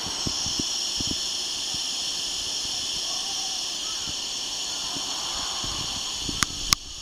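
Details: Mercedes W210 (S210) wagon: steady hiss with light clicks as the central locking vacuum leaks at the tailgate during unlock.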